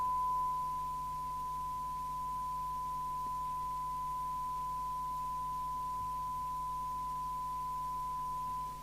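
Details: Fidelity CB1000FM UK FM CB radio during receiver alignment after repair (suspected 24-volted), detector coils tuned: clean steady pure tone near 1 kHz over faint low hum; demodulating test signal properly.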